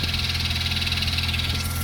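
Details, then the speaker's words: 1992 Mazda RX-7 FD3S rotary, after good compression test with new OEM spark plugs and plug wires; smooth, even idle with steady low drone and crisp buzzy exhaust, no misses or knocks, healthy. "So again, can't see it now, but brand new OEM spark plugs and plug wires. So nice and happy."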